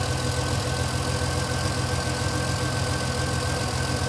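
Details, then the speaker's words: Vintage Ferrari 330 GTC after an upgraded cooling fan install, warm idle on a roughly 75-80°F day: smooth even idle under a steady fan rush and thin hum; fans set at 85°, temperature dropping 185 to 181, cycling normally. "And you can hear now the fans are running again. We have an 85 degree temperature setting. And it's dropping, it's 182, 185, 181."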